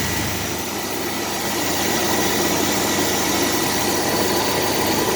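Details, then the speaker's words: 2001 Chevrolet S10 Blazer 4x4 with a 4.3 V6, 165,000 miles, running on two-year-old gas after sitting two years, weak oil pressure; warm steady even idle with no stumble and no check engine light; runs smooth. "running smooth bobby that is amazing no check engine light or anything"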